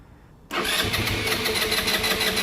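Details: Genuine Buddy 125 scooter after carb rebuild, with new plug and battery, cranked without throttle: steady starter whirr for about two seconds, never fires; the empty float bowl is still refilling.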